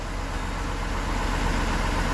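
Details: Buick (Bobby Buick) at steady idle after a gauge cluster fix, showing 138,000 miles with the check engine light still on; a faint regular knock rides under the engine note, cause not yet pinned down.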